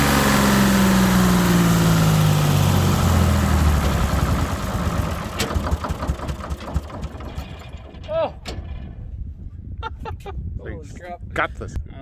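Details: Detroit 6V71 two-stroke diesel in a 65-year-old Allis Chalmers HD14 crawler, first cold start after 24 years idle (it once ran away; governor thought stuck at full fuel): loud, busy roar that settles and winds down after a few seconds; it fires and runs.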